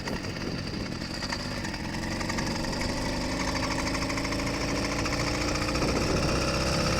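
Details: Stock YD100 two-stroke engine on bike with about 100 miles and no issues so far, fresh-started: quick, even putter firming up over several seconds; healthy idle.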